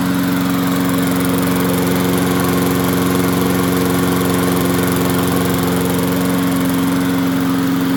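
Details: MTD 22-inch push mower, model 11-A084E029, after the spark plug wire was properly hooked up: a steady, firm single-cylinder drone with no misses or surging, running better. Owner notes slight vibration, possibly a bent crankshaft.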